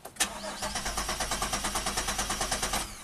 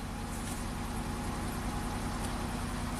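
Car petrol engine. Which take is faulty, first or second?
first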